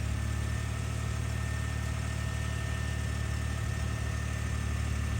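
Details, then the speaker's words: Ford EcoBoost twin-turbo truck after wastegate rattle fix with tension springs on both actuators, cam phasers already replaced: deep, even idle with actuator moving, no metallic rattle; normal idle. "watch it continue to move and adjust absolutely no rattle"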